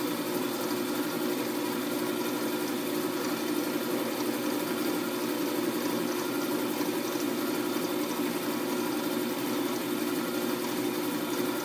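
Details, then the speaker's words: Wood-turning a spinning top on a lathe with light cuts at the end: steady dense rushing drone with faint buzzy roughness from the vibrating workpiece, to be cleaned up with sandpaper at slower speed; cause not identified. "You can hear the vibration. I think I'm going to try to clean that up."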